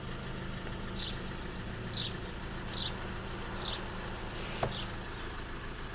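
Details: Fiat Fiorino 1.3 Multijet, engine running in reverse gear. Steady low buzzing drone over the engine with a few faint high chirps; a reverse gear noise, cause not pinned down.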